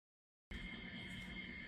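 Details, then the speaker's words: Samsung Digital Inverter AC (AR10NVPXAWKN) fan motor RD-310-25-BA, installed 5 years ago: steady high squeal over the fan's low hum, 45-70 dB, from a failed fan motor bearing needing replacement before it damages the motor. "as you can see my air conditioner unit is very noisy and squealing this was installed 5 years ago and now the bearing had failed and needs to be replaced to avoid damaging the motor eventually"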